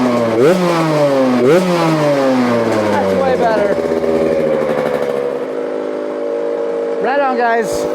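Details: Four-stroke dirt bike with a Lectron carburetor, after an oversized fuel hose fix and air screw adjustment: blips up crisply and settles to a steady, even idle, idle slightly high; smooth running engine.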